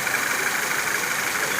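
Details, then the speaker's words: Citroën C4 Lounge THP turbo petrol idling with a high belt-like chirp, actually from a ruptured PCV diaphragm in the valve cover altering crankcase pressure; stops when oil dipstick or cap removed. "e na verdade o problema está no diafragma da tampa de válvulas aqui, ó. Ele rompe, né? Ele fica aqui dentro e ele rompe e acaba dando esse barulho aí de correia cantando,"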